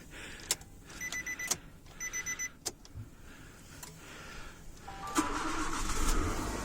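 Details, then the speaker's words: Nissan Cube Z11 4WD after replacing the alternator and 4WD drive belts and tensioner rollers: door chimes, cranking, then a quiet idle with no squeal, whistle or rattle. "какая красота не свиста ничего не гремит"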